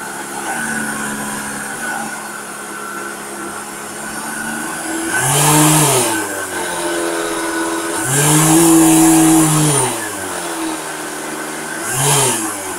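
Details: Vacuum cleaner with rotational vibration: deep droning roar swelling and sweeping in pitch every few seconds like a revving car; owner suspects the ball bearing in the rotating ring is failing or has too much friction, possibly from dust.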